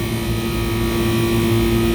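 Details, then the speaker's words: Rooftop kitchen packaged AC unit, running after refrigerant leak repair on the first-stage circuit, pressures and saturation temperatures fine in 110° heat: loud steady compressor hum and even fan drone, no rattles; normal running, these compressors just run loud. "outside running good these compressors just run loud"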